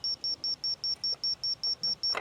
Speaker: Okay, we're right on the money. You hear that beeping? Straight line.